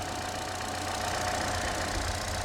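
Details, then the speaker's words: Chevy Trax/Cruze after a temporary taped-on fix for a misfire: low, even idle hum with no stumbles or dropped beats; previously jerking, now running smoothly. "sounds perfect it is running good again before that motor was jerking all over"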